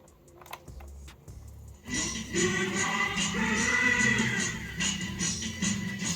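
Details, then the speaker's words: Sony TCM-150 Walkman cassette player after head cleaning with IPA; tape music plays dragged, faint and sluggish, well under speed, needing belt change; cassette playing slow. "இன்னொரு cassette எடுக்கறேன் sound வருது லைட்டா இருக்கு ரொம்ப ஸ்லோவாவும் கேக்குது."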